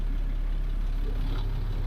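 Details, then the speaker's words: International DT466E diesel in a skoolie bus, just rebuilt, running after reassembly: deep steady diesel rumble with an even whooshing cooling fan engaged; fan running normally. "yep sounds like my fan is going"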